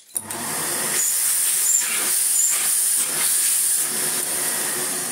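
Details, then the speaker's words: 1990s Philips Blue Magic Silence TC739 vacuum cleaner after reassembly: a steady, loud high hiss over the motor's whir; air leak from a rear air hole, owner suspects an inner part was refitted with the wrong orientation so it doesn't seal; suction is barely reduced, just noisy. "so i'm not too worried it's not actually losing too much suction it's just quite noisy it is airiness"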